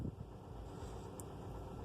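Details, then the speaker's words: 2004 Toyota Corolla petrol engine after full rebuild with new original timing chain kit, tensioner, valves and VVT: persistent low, uneven rumble and rough pulsing at running; noise remains, cause unknown. "é pessoal aqui é esse barulhinho aqui o meu carro faz eu já fiz um motor troquei tudo piston tenha trocado o motor foi feito tudo o que corrente comando tensão da corrente é válvulas vvt"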